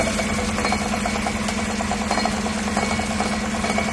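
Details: 2016 Tahoe 5.3 V8 with 140,000 miles, no check engine light, idling and heard from underneath: a fast, loose metallic rattle over the idle. The driver-side catalytic converter's insides are crumbling.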